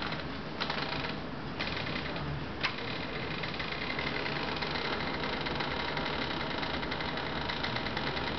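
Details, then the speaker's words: Office door pulled open at constant speed by a string device, microphone close to the hinge: a fast, dry stick-slip creak that starts at a very low frequency, with the pitch rising as the door is pulled faster. "You can hear the creaking beginning at a very low frequency. Let me raise the speed. You can hear the pitch changing."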